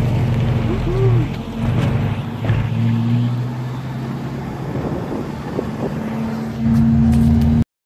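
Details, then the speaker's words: Volvo Amazon 122S with a Weber DGEV 32/36 carburetor and a newly replaced, adjusted choke, warmed up. It holds a steady, even low idle with no stumbling or hunting; it stays running normally. "anyways we're all set here that stays running that's what I like"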